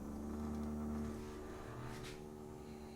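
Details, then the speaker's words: CWA400 electric coolant pump in an AMG rear intercooler loop with ice tank and Needswings heat exchanger, run off a jump box, lines unclamped: steady hum with an uneven rattle about four a second while priming, coolant likely not yet fully circulating. "of a rattling noise. It's probably going to take a little bit to get all the way around."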